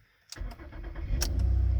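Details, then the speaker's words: All-wheel-drive car, low on fuel, warning light on, not yet scanned: brief crank catches in under a second and settles into a steady, even idle with no ticking or knocking; normal engine start. "it starts right up starts right up seems to run good you don't hear any ticking or knocking or anything"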